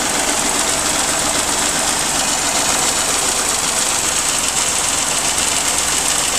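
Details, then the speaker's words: Restored Geo Metro drivetrain warming up to temperature, lifters already quiet, fast warm-up idle waiting to drop: even, clatter-free, smooth and quiet run, engine healthy. "Yeah, it runs real nice. Nice and sweet, quiet. I'm happy with this."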